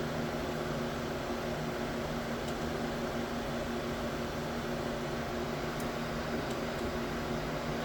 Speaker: Let's see if this one purges So three is now purging.